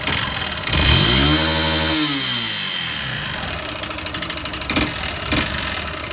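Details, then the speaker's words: Yamaha Fazer 150 single-cylinder motorcycle revs once, then idles roughly with a dull top-end knock, engine noise before teardown. "Estamos aqui aí, pessoal, com essa Phaser 150 com esse barulho no motor."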